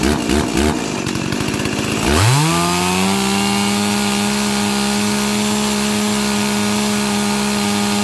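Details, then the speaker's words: Stihl 036 chainsaw rescued from a junkyard, carb fitted and tuned, new NGK plug, 20-inch bar: fires up and climbs to a steady high scream at 13,410 max rpm (target about 13,000), clean and even with no misfire; healthy. "Alright, so we got maximum RPMs of 13,410 right now. I think my target was 13,000, but I'll actually have to go and check the specs on that for sure. But I know that Stihl chainsaws have high RPMs."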